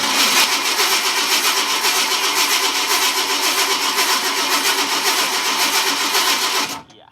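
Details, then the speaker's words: 1971 Ford F250 that died on the road, tank empty, fuel line off and leaking. Primed by pouring fuel down the carb, it runs rough with an uneven pulse for several seconds, then cuts out abruptly. Fuel starvation stall. "Gotten him running by putting fuel down the carb. Then it runs out."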